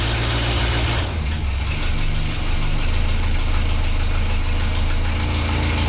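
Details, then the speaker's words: Renault 4L idling after new ignition parts (condenser, points), carburettor work and timing and mixture adjustment: steady, even low beat, no misses or knocks; runs much better, still to be fine-tuned by a garage. "donc grâce à ça il fait un meilleur bruit tourne beaucoup mieux on a aussi réglé la vence régler la richesse"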